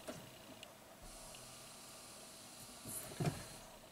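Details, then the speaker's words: 2010 Toyota Prius, 230k miles, ignition on, no codes: electric brake booster assist pump whirs with each brake pedal press and cycles every 15-30 seconds, pressure bleeding off via internal leak in booster/stroke simulator module. "if you push the brake pedal you'll hear the pump actually that's not supposed to happen that means it's bleeding off way too quickly"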